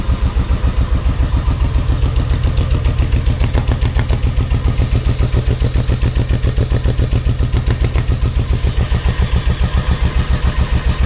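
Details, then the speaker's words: Motorcycle V-twin with pod filters and dirty carburetors, sat about a year on old gas, full choke; slow, lumpy idle with single heavy pulses about two a second, running on rear cylinder only, front cylinder cold. "Full choke. Same thing. It sounds like it's running on one cylinder."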